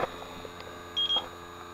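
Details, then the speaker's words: AC refrigerant leak detector at evaporator coil joint on system low on refrigerant: faint room hum, then a short burst of high-pitched beeps; confirmed leak behind a line, oil found there. "see that was a false positive note nope well guys we found our leak"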